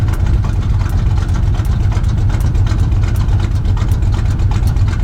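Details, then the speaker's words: Truck V8 after swapping to an oversized camshaft following a lifter failure: deep, lumpy idle with an even lope about three per second and no knocks or misses. It has a stock torque converter and 700R4 and now burns a lot of oil. "My God, does it sound good at idle though."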